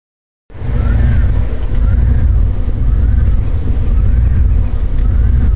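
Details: Jeep Grand Cherokee 5.9 V8 with an uneven, stumbling, pulsing rough idle that began the morning after a battery jump-start.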